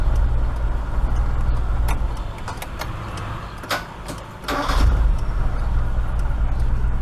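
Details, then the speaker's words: Proton Saga Iswara starter with badly worn brushes: a few sharp irregular clicks with each key turn and no cranking; starter engages but won't spin the engine. Owner suspects the worn brushes and considers replacing the whole starter. "At least it's clicking though. It could be the brush, you know, the brush is like really worn."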